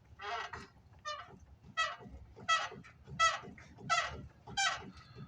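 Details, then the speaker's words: 2008 Dodge Ram 3500, truck bounced up and down by hand: rhythmic honking squeaks about 1.4 per second from the inner tie rod ball joint; inner tie rod and steering stabilizer to be replaced. "so that's a squeak and I can actually feel it right and this end of the inner tie rod so it's actually this ball joint to that inner tie rod"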